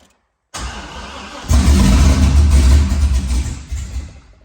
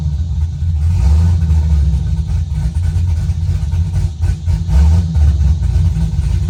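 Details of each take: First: Car reassembled after bellhousing fluid leak, half tank showing: engine catches and chugs unevenly at about four low, lumpy pulses a second, starving for fuel; fuel pump not running due to unconnected ground, oil pressure building, no leaks. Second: Car reassembled after bellhousing fluid leak (suspected off-centre rear cover) with open exhaust and no tune, needing some throttle to start: deep, loud rumble at steady idle with small throttle blips; runs fine now.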